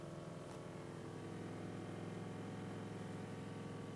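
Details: Honda Accord Euro running with transmission in D: steady engine drone with low hum and faint uneven beat about three per second; noisy in Drive, source of noise unclear.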